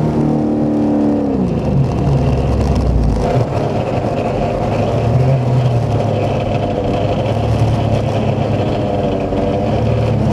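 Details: Fidanza 7.6 ceramic twin-disc clutch: revs drop into a rough shuddering drone with a rattly edge; chatter on engagement and disengagement since first driven, owner suspects the clutch rather than technique.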